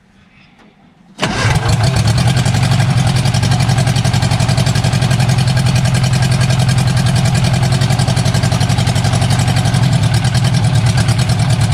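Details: Barn-find bug-eye Sprite stored 30-40 years, after starter rebuild, idling on its own with only exhaust manifold, no exhaust: instant catch, loud raw rapid even popping idle; sounds not too bad.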